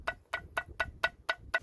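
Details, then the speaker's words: Mitsubishi Lancer/Carisma/Colt/Space Star lower control arm removed: sharp metallic clacks, about four a second, as the worn joint is rocked forward and back through its play, the cause of the knocking; to be replaced like for like. "Right friends, just gonna demonstrate why we were getting the knocking noise. See, there's a play, and then when I push it forward and back, I can hear the noise. knocking noise."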